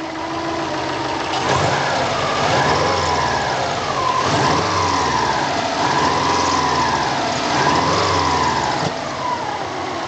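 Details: Subaru with 2.5/2.0 hybrid engine, recorded near the turbo: mid-pitched whine swelling and wavering over the idle; owner was chasing a turbo-area noise but caught this other, more worrying noise, cause unidentified.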